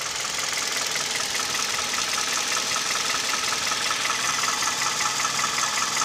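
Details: Kia/Hyundai Theta II G4KD petrol engine idling with A/C compressor and mirror, glass and seat heaters on, recorded from inside the cabin: light, fast ticking knock about two to three beats a second; piston knock, also reported at 1500 rpm.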